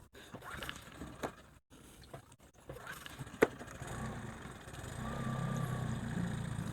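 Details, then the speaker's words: New Yamaha F20CMHL 20 hp four-stroke carbureted outboard, first start after unboxing: a few clicks, then it fires into a smooth, steady purr, smoother than the 15 hp two-stroke it replaces; normal running. "lebih halus ya halus jadi e dibanding dua tak dia lebih halus"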